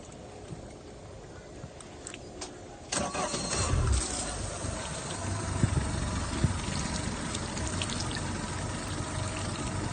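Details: Mercury four-stroke outboard cranks and catches, then idles roughly with a lumpy, stumbling beat over a hiss of water; the thermostat caused the rough idle, and replacing it fixed it.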